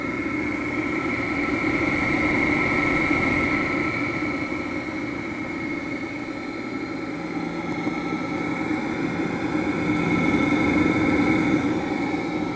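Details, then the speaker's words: Vintage electric motor (Dumore grinder or Westinghouse machine tool motor) with potential relay start, bench test: steady hum with faint gritty roughness and slight whistle from tired, worn bearings; otherwise quiet. "Bearings sound like they're a little tired."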